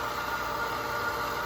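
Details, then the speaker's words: Well pump restarted after servicing a waterlogged holding tank, pressure gauge building toward 30–40 psi (cut-off usually at 50): steady even motor hum with a constant tone, no knocking, surging or leaks. The pump is running normally. "Okay. As you can hear, it's running. That gauge has got to get up to about about between 30 and 40."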